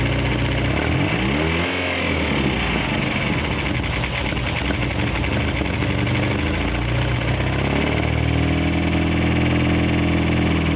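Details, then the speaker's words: 1G DSM four-cylinder petrol engine idling and revving with a deep, uneven knock beneath the exhaust; suspected rod knock, with milky white fluid found afterwards; not confirmed. "So, thinking we're going to have I think that's rod knock. I think you all can agree on me on that one."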